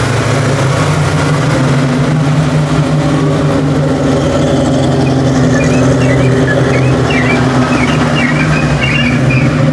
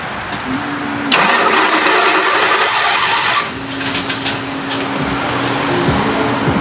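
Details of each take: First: 1989 Mustang notchback with a rebuilt carburetor, warmed to operating temperature: even, steady idle rumble with no stumble or misfire. The earlier rough running is attributed to the engine being cold; it runs cleanly once warm. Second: 1989 Mustang notchback, newly installed rebuilt carburetor, cold start after backing the idle mixture screws out two turns: rough, uneven catch with sharp irregular backfires over a stumbling idle. Fuel and pressure are present and timing is untouched; the owner suspects a vacuum leak or timing issue.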